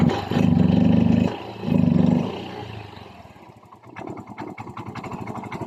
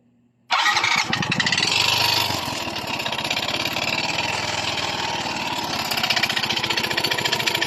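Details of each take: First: Yamaha Mio i 125 scooter engine after repair of a piston slap/connecting rod noise by replacing the block set, settling into an even steady idle putter with no top-end knocking. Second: Yamaha Mio i 125 before repair, engine suddenly noisy. A fast, harsh, rattling idle with even metallic tapping: piston slap, fixed by replacing the block set.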